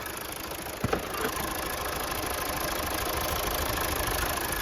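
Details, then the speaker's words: 2016 Mazda 3 2.2 Skyactiv diesel with misfire on cylinders 1 and 4, after intake manifold cleaning and removal of suspect injector 1, which tested bad; uneven, lumpy idle around 200 pulses a minute; still running rough. "there's no point me telling you it's running right it's not"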